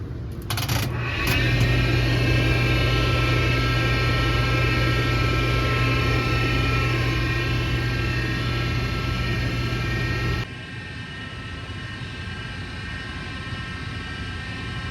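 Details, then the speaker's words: Splendide stackable dryer, out of warranty: steady high multi-tone whine holding about ten seconds then cutting out, never heard before; owner first suspected bearings, but the drive motor was broken and replaced. "it started making this noise and it to me it sounded like something was wrong with the bearings if you guys heard the whining noise it sounded like something was wrong with the bearings"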